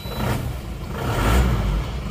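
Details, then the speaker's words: Isuzu Panther L 1740 diesel, cold morning start after piston and ring replacement (rough noise had been pistons, not injection pump): catches and swells smoothly into deep even clatter with slight cold roughness. Normal cold start. "Nah suaranya seperti ini jadi menurut saya ini tidak ada indikasi Bos pom bermasalah ya Ini bukan bukan bos pomnya ya"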